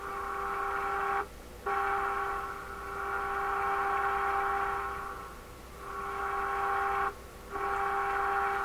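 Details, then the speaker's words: Florida AM/FM/SW tube radio fed a modulated signal at the antenna, tuned to 1200 on AM: steady test tone drops out completely twice for about half a second. Dead spot at the top of the volume control. "the top of the line control the blame cuts out the the control is a dead spot rate at the top"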